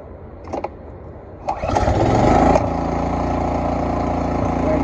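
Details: Cub Cadet 3X 26-inch snowblower that wouldn't start after last winter, oil changed, now with fresh gasoline added. Quiet cranking, then the small single catches and settles into a steady, even idle with no misses or knocks. Starting and running normally.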